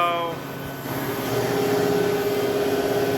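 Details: Used Hydrovane VSD variable-speed air compressor started at low speed: smooth even hum building gently with a steady rising tone, no knocks or rattles; compressor ramping up slowly and cleanly.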